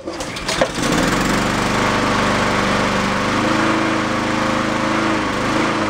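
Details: Yard-sale Honda mower after fitting a slightly larger jet; buzz keeps rising and sagging instead of holding steady; the larger jet didn't help, hunting from a clogged idle circuit; runs decently on partial choke.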